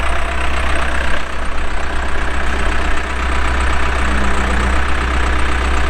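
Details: 2007 Case 580M Series 2 backhoe, pre-emissions diesel, 4WD, 3,812 hours, operating: steady, even low diesel rumble with no knocks or misses while working; starts and runs good, hydraulics strong.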